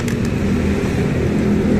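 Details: Honda Vario Techno 125 (2017), bought second-hand and used one year with all-original parts. It idles briefly and steadily with an even low hum and no ticks or rattles; the engine runs cleanly.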